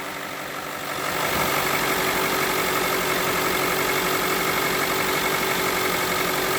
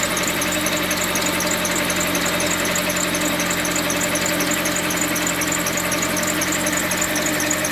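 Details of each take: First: Mitsubishi Lancer X running cold on gas after replacing a crankshaft pulley with broken rubber, the cause of a loud engine knock: steady idle with no knocking, slightly uneven from the gas and the cold; normal idle. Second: Mitsubishi Lancer X idling, oil spraying; rapid uneven knock about four times a second; crankshaft pulley damper rubber broken, vibration loosened the bolt (came off by hand), pulley replaced.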